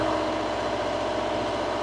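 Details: Reefer (trailer refrigeration) diesel unit idling after unloading, compartments C2 set to about 8 and C1 to 4; steady diesel idle with even low thump and constant pitch, no knocks or misses, normal idle.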